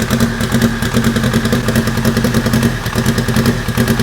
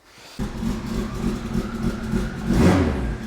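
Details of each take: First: Fully warmed-up car at idle, often left on rotational idle: lumpy, stumbling idle that sounds like a tractor; misfire on cylinders 3 and 4 after sitting, owner plans to swap in new plugs. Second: Steady, even idle with no stumbles or misses after refurbished, cleaned spark plugs were refitted; plugs had been blamed for the earlier rough, tractor-like running, and the healthy idle confirms the fix.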